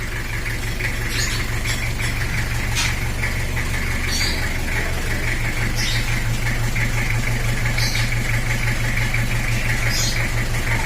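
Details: Kijang LGX with 2L diesel engine after repair, which followed complaints of a compression-leak-like, uneven, rough sound: engine cleaned and now smooth, steady even idle clatter about three pulses a second, no misses or odd knocks; healthy.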